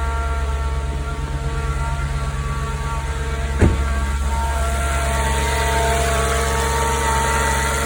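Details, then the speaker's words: 9k-mile 2004 S4 cold start: steady idle under a loud whooshing fan, only light normal TFSI ticking, no chain slap or rattle. Normal cold start idle. "You can kind of hear the fan is a bit loud on cold start, but otherwise, I mean, no chain slap, just normal TFSI ticking, but that's it."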